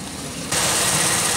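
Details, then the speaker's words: 2001 Pontiac Aztek just revived after sitting since February, warming up, no cabin heat: steady airy hiss cuts in at idle; owner suspects a vacuum leak at the rear vacuum hose and may replace it, unconfirmed. "you hear the hiss I wonder what it's coming from all of these were on when I left like I said unless it's that back one I might just have to get this whole hose replace"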